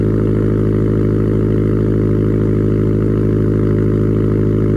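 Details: Subaru STI cold start after sitting two months: steady, even cold idle with a deep, uniform burble and no knocks or rattles; normal cold start idle.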